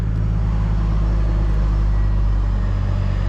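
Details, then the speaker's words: Chevy Colorado work truck after Passlock no-start fix by cutting a wire: starts and idles steadily with an even low rumble, about four beats per second, no knocks or misses; running like a top, Passlock light stays on. "running like a top now that path lock light will stay on"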